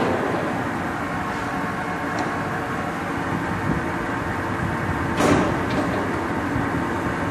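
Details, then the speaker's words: Blanchard No. 18 36-inch surface grinder with 320 thousandths left on the chuck: steady even roar with no knocks or grinding while the table is shifted through all six speeds; no coolant in it, pump works, running healthy. "there's all six speeds move the table out there's no coolant in it right now but pump works fine"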